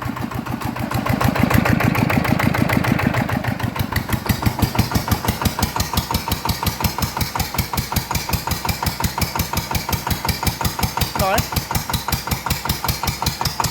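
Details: Yanmar TF120 single-cylinder diesel upgraded to 150 spec, just rebuilt: catches and settles into steady even thump about three beats a second; clean, normal start and idle.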